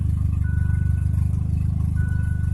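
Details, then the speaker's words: Mazda Probe on an untuned DIYPNP ECU, cold start in freezing weather: a deep, even, lazy low idle that stays flat and rises only later. The coolant temp sensor still needs calibration. "she does not like the cold start it's not reacting like it's not the idle air control valve like it idles up after it gets going it just doesn't want to idle up right off the start"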